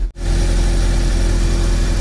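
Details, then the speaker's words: Proton Wira after fuel pump replacement, first test start: steady low idle rumble with no stumbling, misses or pump whine; engine runs, fuel pump OK, then fuel hoses checked for leaks. "Oke, kita start. Oke, okay, engine dah hidup. Nah, fuel pump oke."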